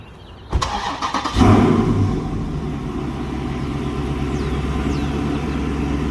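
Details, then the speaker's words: 2017 Dodge Charger SRT 392 after an MFER-1 active exhaust delete kit install; before it, the passenger-side valve was stuck closed from a faulty actuator (P121B) and rattled. Short crank, quick flare, then a smooth steady idle with no exhaust rattle. Normal startup. "But once everything is in, I'll give you guys a startup and what it sounds like on eco mode and track mode, which it shouldn't really sound too different."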